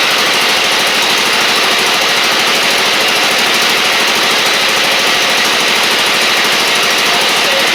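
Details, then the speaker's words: Husqvarna LGT2654 Briggs V-twin mower engine: harsh, uneven chuffing with a lopsided beat instead of a smooth twin rhythm. The left cylinder is dead despite spark, with the pushrod out and valves misadjusted. "Yeah, left cylinder's dead. I can see the spark."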